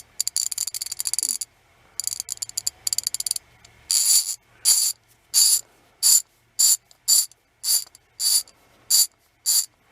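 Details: Old Creative Tool ratchet ball screwdriver with a loose pawl that fell out: dry, rattly clicking in bursts about every half second as the handle swings; the pawl jumps instead of catching cleanly.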